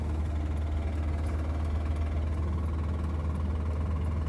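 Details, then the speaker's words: Honda EJ6 with a D16Y7 engine, driving home after spinning a rod bearing: a deep, heavy knock of about four a second under a low engine drone. Rod knock from a spun rod bearing. "that bearing's bye-bye now. It's just rock."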